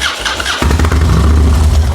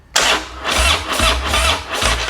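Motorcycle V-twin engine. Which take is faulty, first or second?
first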